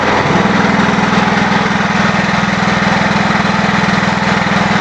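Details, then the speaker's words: New engine on a wood-gas generator, about 10 hours run; the owner says it is hard to start. Steady, even exhaust beat at constant speed with no misses, knocks or rattles, and exhaust clean with no smell. Normal running. "no smell the exhaust if I'm Reon it's running so cleanly it can't smell"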